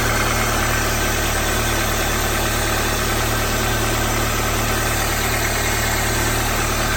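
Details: 2004 Toyota Corolla after replacing the belt tensioner assembly: steady, even idle with a smooth low hum and no growl; the former cold, in-gear growl is gone, and the owner believes the old tensioner was the cause.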